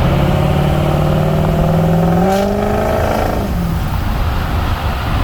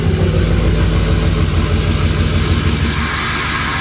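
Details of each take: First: 6.0 Powerstroke diesel, warmed up, VGT turbo control switched off (smoke switch) versus on: deep rising whoosh and whistle climbing with rpm then dropping, like spooling a massive turbo, with much more smoke; throws a check engine light. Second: Ford 6.0 Powerstroke diesel started still a little cold with the VGT turbo switch on, so the turbo works normally. Steady, even cold-idle diesel clatter with no squeak. Normal cold idle.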